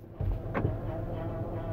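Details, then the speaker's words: Dodge Caravan, possibly a 2011, cold first thing in the morning with thick fluid, parked and idling: a steady mid-pitched whine over the idle rumble that stops when put in gear, so it is transmission noise rather than power steering. "see you put it in gear the noise go away so that is transmission noise"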